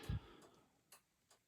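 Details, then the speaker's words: 1995 Chevrolet Impala SS with LED taillights, the round flasher refitted and one resistor removed: quiet, crisp clicks at a slightly uneven pace, no buzzing or chatter. It seems to work normally, though the owner thinks an electronic flasher is needed. "And you can hear it's clicking away. And I removed one of the resistors from there, but seems to be working until I just did something."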